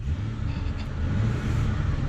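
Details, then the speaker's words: 1997 Mercury Grand Marquis (Aero Panther), 4.6 V8, free revving: deep rumble swelling with sharp exhaust pops; owner jokingly suspects blown head gasket, not confirmed. "and if you give us some revs we'll go push out some of that more uh blown head gasket exhaust juice"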